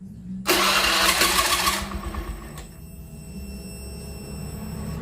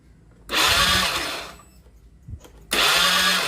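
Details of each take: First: Honda Beat FI scooter after repair of no spark and no injector spray (ECU replaced): fires promptly, steady even putter at idle, picks up cleanly on throttle; normal start and idle restored, idle adjustment still pending. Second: Honda Beat FI scooter, crank no start: two one-second bursts of starter whirr, engine never fires. No spark at the coil and no injector spray while cranking, so the ECU has failed and needs replacing.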